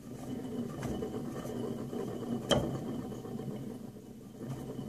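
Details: Used motor, drive-end bearing, rotor slowly turned by hand: dry gritty rumble with a few sharp clicks; owner thinks the bearing is bad, probably from grease leaking out during prior storage, and plans to replace the bearings.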